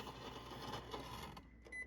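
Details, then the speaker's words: Refrigerator ice dispenser on crushed ice: ice clatter gives way to a thin, high screeching squeal from the auger jammed by ice buildup, with ice coming out slower. "And you can kind of hear this screeching sound, and the ice is coming out slower."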